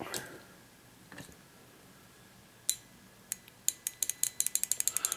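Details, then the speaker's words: 1994 Saab 9000 fuel injector on bench, removed from rail for cleaning and new seals, powered from 12 V battery: sharp crisp solenoid clicks speeding into a quick regular series; injector working normally. "and then you just need to hook it up to 12 volts so get up to a battery you should hear it click"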